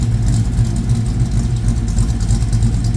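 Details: 1972 Mustang Mach 1 restoration V8 ($1,000 engine): deep steady idle with even, slightly lumpy beat, no knocks or ticks; lots of oil pressure, quiet; normal idle.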